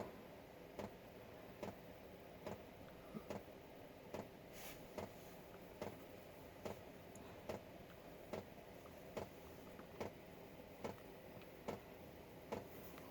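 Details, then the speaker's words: Chinese 5 kW diesel heater, fuel pump on its low setting around 1.2 Hz with fuel reaching the pump. Crisp even single ticks about 72 a minute in a quiet room: normal dosing pump ticking. "hear the fuel pump the fuel is up to the fuel pump now"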